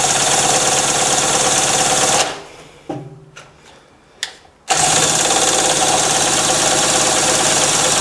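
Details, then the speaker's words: Harbor Freight mini generator, about 7–8 months old, stored with fuel valve open, spun by a drill, choked: fast steady whir, never fires; has spark and fuel, spark plug flooded. "all right that's not working not even a kick I got sparked though and it's getting gas because the spark plug is flooded"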